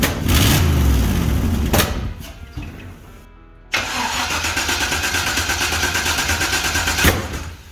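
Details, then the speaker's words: Toyota Toyoace after rewiring and fuel system work: cranks a few times, catches, then runs unevenly with occasional exhaust pops; backfiring, fuel pressure needs to be raised. "Alright, so we got it going. That's awesome. So there's a few shortcuts that I need to remedy, obviously. And the fuel system seems to be okay, but the fuel pressure needs to be wound up a bit."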